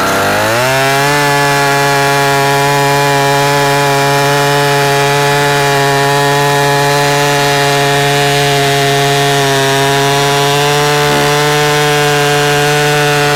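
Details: 44-year-old vintage Husqvarna L65 chainsaw with points ignition, brought out of retirement, cutting a big oak log; a strong steady two-stroke buzz bogs slightly and holds pitch through the cut. Still cuts well despite its age.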